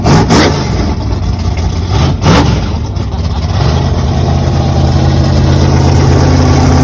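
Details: 1962 Pontiac Catalina V8 with solid roller cam, 10.5:1 compression on pump gas, heads epoxy-repaired for a pinhole leak: loud, lumpy choppy-cam idle, blipped twice then settling into a steady lope. Healthy, strong engine.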